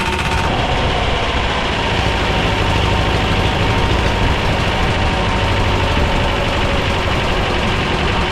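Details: Belarus 250AS diesel tractor, about 1985, after sitting for years, first-stage filter refilled and lines bled: loud, coarse clatter holding one low idle that never climbs; runs but won't rev on its own, suspected fuel starvation.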